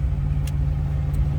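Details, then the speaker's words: 1979 Chevrolet Camaro Z28, cold start with slightly raised idle at first; deep even burble with no knocks or misses; normal cold start fast idle. "That was a cold start, so we have a little bit of an idle up here at the beginning."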